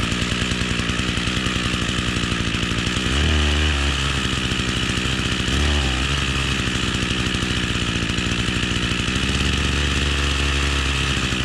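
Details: Echo string trimmer two-stroke after fuel lines redone, primed and cold-started on choke with half a tank of mix; buzzes steadily and evenly, picks up cleanly on throttle blips and settles back; normal running.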